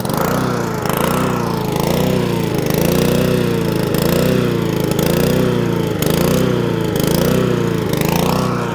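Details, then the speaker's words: Honda IZY lawnmower, believed 16-inch: steady drone swelling and sagging about once a second, governor hunting and surging; leaf litter under the deck suspected of blocking the governor arm, to be blown out with compressed air. "there you go that is what it's doing so if your lawn mod is doing that although it would actually cut like that it just sounds really annoying"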